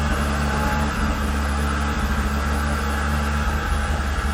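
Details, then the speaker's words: 2005 Volvo V70R just refuelled with old gas after sitting with an empty tank: low idle wavering and surging unevenly right after starting; rough running after fuel starvation. "what the what well it doesn't run great"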